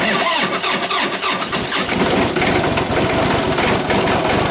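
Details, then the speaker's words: John Deere tractor (2032R or 110 TLB) diesel winter cold start after sitting out overnight near a wall, after two glow cycles at idle throttle: brief cranking, fires and settles into steady diesel clatter; healthy start. "so it's amazing actually I see now this is right outside in the direct cold how much heat is leaking through that wall and keeping this thing warm enough to start a lot better than it did right there that's fantastic"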